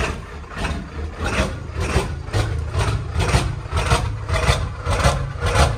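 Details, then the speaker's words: 7.3L Powerstroke diesel first-morning cold start: low lumpy clatter pulsing unevenly, bucking, shaking and cackling before smoothing out; hard start issue with new ICP sensor fitted, owner suspects injector O-rings. "so as you can see it bucks it shakes it cackles and then it idles and smooths out so you can tell that something's going on"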